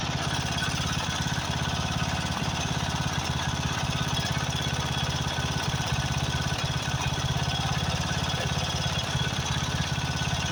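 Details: Craftsman riding mower, 13.5 hp Briggs & Stratton OHV single, after a carburetor replacement: thumping unevenly at a lumpy low beat. Owner suspects fuel mixture adjustment or possibly a blown head gasket.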